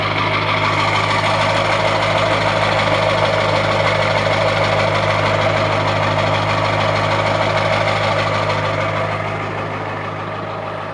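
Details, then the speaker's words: 2001 Ford F350 7.3 L Powerstroke diesel, 325,000 miles, cold start after sitting 14 hours following a 27°F night, titled as bad injectors: loud, uneven clatter with a lumpy lope of about three beats a second; rough cold idle. "as you can tell it does have some pretty nasty cold starts to it but that's the 73 L diesel for you"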